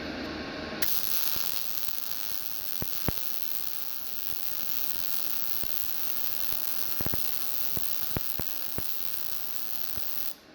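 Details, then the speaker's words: GZ Guozhi MIG 200P welder at wire speed 105 and 16 V: a frying hiss with sharp pops and crackles. The arc still feels too hot, so the wire speed is next turned down to 100. "I still feel like the heat's a little bit too high. Let me go ahead and turn down the wire speed to 100."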